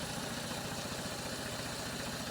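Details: 2011 Ford EcoSport 1.6 Zetec Rocam at idle; rough, lumpy, heavy uneven thump with missing beats; no spark at cylinders 2 and 3 because the ignition module isn't grounding that coil circuit: misfire on two cylinders.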